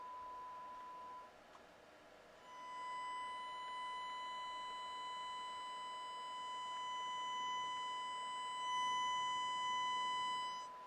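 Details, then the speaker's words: Pioneer SX-255R receiver on the bench with test tone: left channel clean, right channel low, harsh and distorted, scope showing about half the sine wave missing; fault in the right channel. "you probably can hear that the left channel sounds really good but the lote the right channel is low and distorted"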